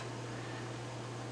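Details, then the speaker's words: Wollensak 3M Model 1520 reel-to-reel tape machine from the 1960s, just switched on: a steady, even low motor hum with a soft hiss, running normally. "okay so i just turned it on you can probably hear the motor hum"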